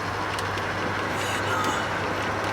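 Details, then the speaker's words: Engine driving at operating temperature, downhill on slight extra throttle, with fresh break-in oil (about 300 miles on it); even, steady hum with no misses, knocks or surges over road noise: smooth normal running. "And she's just as smooth as butter. Good butter. Clarified butter."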